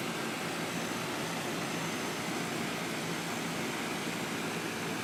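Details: Trane 2.5-ton heat pump in cool mode, installed 2002: steady, even rush of fan air with low compressor hum, no rattles or knocks; outdoor unit running normally.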